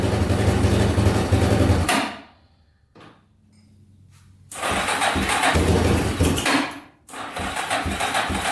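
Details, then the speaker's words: Yamaha Wolverine 350 4x4 ATV, first start after air box cleaning, before carb clean; single-cylinder runs ragged, cuts out twice and restarts, only runs on choke, smoking heavily; plugged carburetor jets, owner also suspects rings and valve seals. "oh it smells horrible a little smoky yeah smoking pretty good only really runs with the choke on too"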